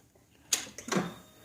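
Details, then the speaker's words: 2007 Honda ST1300 police motorcycle with an auxiliary battery fitted: quiet, then a sharp click and a softer clack at key-on as the relay closes to tie the batteries together so the alternator charges both; relay working normally. "you can hear the relays. I'll cycle that a time or two. Over here, off. I don't know if you can hear it, but anyway, that's the point. That relay is tying the batteries together."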